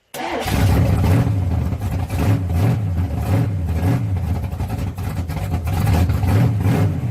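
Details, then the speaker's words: 1987 S10, stock SBC 305 V8 with thumper cam, ticking since a hard top-speed run: light rhythmic tapping over the rumble that follows engine speed. Owner suspects a collapsed lifter or wiped cam. Rocker found loose; lifter later found caved in, cam looked fine. "I believe it you collapse a looper collapsed the lifter or white glue on my cam hoping it's just a lifter though"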